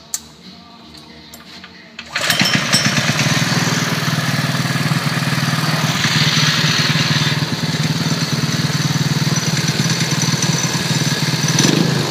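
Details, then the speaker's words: Cafe racer motorcycle first start after rejetting carburettor and new air filter, five-minute break-in run before oil change; fires after short crank and settles to steady even idle with no knocks or misses; normal idle. "so that i just did for five minutes of running let it break in so now i'm gonna go ahead and drain the oil put the good oil in it we'll be good to go"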